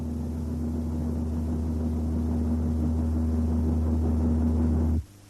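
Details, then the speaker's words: Toyota under road test: steady low booming drone under road noise, appearing at 80 km/h and peaking at 90 km/h, tied to vehicle speed rather than the engine; propeller shaft drone. "мы установили также что шум возникает при скорости 80 километров в час и достигает максимума и 90 километрах жало"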